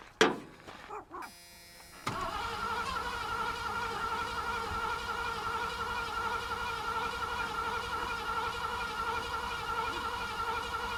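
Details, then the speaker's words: 1986 Ford Bronco with starting fluid and fuel supplied: quiet start, then steady cranking about nine seconds, never runs; it seemed to want to catch briefly. Owner suspects a spark problem. Crank no start. "Well, it seemed like it wanted to jump off, at least right there at the beginning, but then it just went away. I grant you, we're having an issue with spark."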